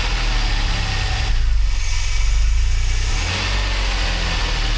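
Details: DeLorean with manual transmission, months after fuel/lambda/idle troubleshooting and catalytic converter back-pressure check: cold start with strong steady low rumble, brief rev lift, then settles evenly into smooth healthy idle.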